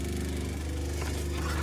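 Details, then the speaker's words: RV fresh-water pump, replaced last summer, running with the tank on empty for two days. A steady low motor drone with a strained, labouring tone and gurgling, with no water flow: the pump is running dry. "can you hear it you're gurgling it means a lot of water and it's on empty it's been on empty a couple of days"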